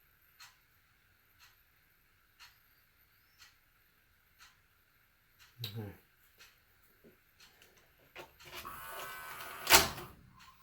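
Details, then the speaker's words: JVC HR-S3500U Super-VHS VCR, bought in 1998 and about 25 years old, after regreasing: soft, evenly spaced ticks, then a brief motor whir as the tape threads, with no grinding. Quiet, normal tape loading. "does sound quiet I have to go back and compare them but all right I think we are good to go here"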